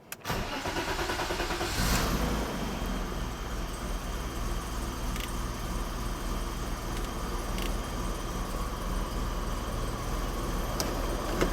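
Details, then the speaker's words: 1990 BMW E34 535i M30B35 inline-six after rebuild, first start with coolant and exhaust, warming up: fires quickly into a smooth, even, quiet idle with no ticking, knocking or exhaust leak; sounds healthy. "Sounds good. Doesn't sound like it's got an exhaust leak or anything. Engine sounds fantastic."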